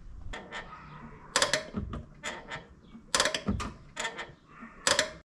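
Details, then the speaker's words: 2004 Subaru Legacy BP5 GT-B, 5-speed manual, recorded inside the car: sharp clicks and creaks each time the clutch pedal moves. It began as a squeak a year ago and worsened; the cause is a dry clutch release fork pivot. "this is from the inside of the car what the noise sounds like it kind of was just squeaking at first like a year ago and now it's kind of progressed into this"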